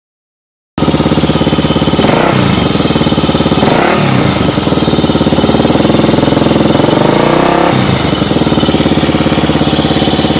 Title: 1986 Honda ATC 350X Timing Chain Noise.